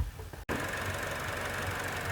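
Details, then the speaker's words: Buick Encore 1.4L with code P0496 and hard starting after every fill-up, heard under the hood: fast, light, crisp ticking over a quiet idle, a faulty EVAP purge valve clicking away, which was then replaced. "that thing's just click like like i'm just rattling and that's one of them that says that we should have might have an issue with that"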